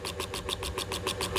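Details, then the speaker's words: Ceiling fan powered at 240 V makes a fast regular scraping tick, about seven a second, as rotor rubs stator; bearing not faulty. "यह पंखा इस तरह से आवाज करते-करते थोड़ी देर के अंदर बंद हो जाएगा"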